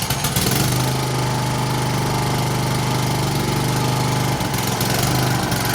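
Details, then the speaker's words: Honda-powered Husqvarna self-propelled push mower, single-cylinder, after carburetor cleaning (previously started but wouldn't stay running): starts right up and runs at a steady, even speed with constant drone, no surging or misfire; normal running. "clean carb starts right up so i'm gonna slap the air box back on there start one more time and then it can be put back to work"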